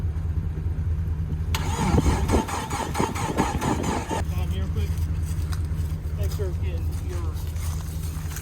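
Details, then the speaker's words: Jeep after engine rebuild with new bearings and a repaired crankshaft gouge, first start attempt, fuel level uncertain: starter churns about three seconds with uneven turning-over beats but never catches; cranks, no start. "you hold it while I try to crank it sound like it wanted to talk a little bit"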